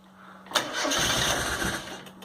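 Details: 1997 Rover Mini Cooper MPI after storage and jump-start, MEMS 2 ECU suspected fried: steady hum then about 1.5 seconds of rapid starter cranking that never catches; crank no start, ECU later swapped.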